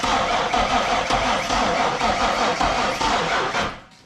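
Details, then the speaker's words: 1998 Mustang Cobra crank no-start with one spark plug out to check spark: starter churns steadily two to three turns a second with no firing, no spark; traced to a damaged crank sensor connector. "no spark the only other thing i can replace that i have here is a crank sensor uh on the bottom of the motor so we could do that real quick and see if that changes anything"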